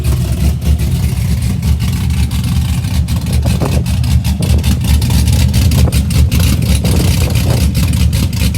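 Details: 2004 Chevy Silverado stock 5.3L LS V8, first cold start after cam and springs swap (218/227 duration, .526/.524 lift, 109/115 LSA), accessories unhooked, weak battery: lumpy, choppy loping idle with throttle blips; cam sounds good.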